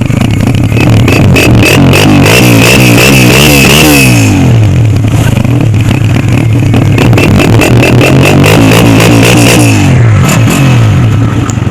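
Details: Heavy bike after sensor washed with petrol-and-oil mix: engine blips cleanly up and down with crisp, even exhaust note, no rattle or popping; sounds normal.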